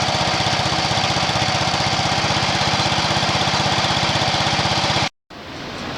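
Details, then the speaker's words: Allis Chalmers 716H engine after cleaning and reinstalling the original carburetor, revved; a loud, choppy, uneven beat with sharp popping back out the intake, blamed on bad valves; points wiring was also rusty and loose. "You try revving up, I don't know if you can hear it. It starts popping out the intake. Well, when it's popping out the intake, it can't suck no fuel."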